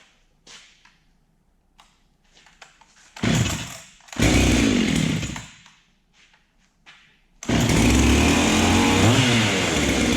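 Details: Ported Husqvarna 385XP chainsaw with aftermarket 390 piston and cylinder, extra spacer added, first cold start: catches after a few pulls, light unloaded rev blips rise and fall cleanly, settles into crisp steady run; healthy.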